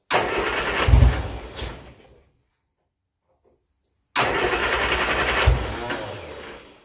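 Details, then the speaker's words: Turner Ranger four-wheel-drive tractor, 1098 A-series petrol engine, sat six months: two roughly two-second bursts of cranking, briefly catches but won't run; likely flooding, mixture too rich. "yeah so that's not wanted to go so i suspect what i've done now is flooded the engine that is spark plugs are too wet"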